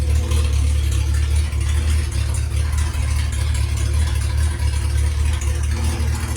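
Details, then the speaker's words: Reliant Reaper with rebuilt engine fitted with race cams, after test drive and dialing in: deep, steady low grumble with an even beat, no knocks or rattles; healthy with a cammy edge. "Listen to that grumble. That sounds bloody brilliant. I love it. Absolutely love it."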